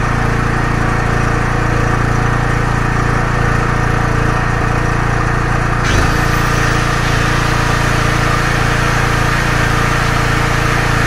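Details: Small generator, claimed 5500W but at least 1.5kW, powering a load through a multi-socket; a steady, even engine drone holding speed with a firm low hum and no hunting or misfire, carrying the load well.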